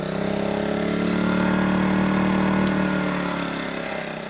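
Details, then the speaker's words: Predator 2000 inverter generator just started after priming, no load yet, before recharging a Zendure SuperBase Pro 2000; soft, steady, even low hum with no misses or knocks; normal idle. "quiet little generator. Okay, she's running."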